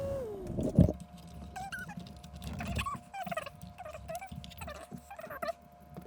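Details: Xbox One S console fan, microphone noise filters off: uneven light cricket-like tapping over a steady fan hum; ticking cooling fan, cause not yet clear.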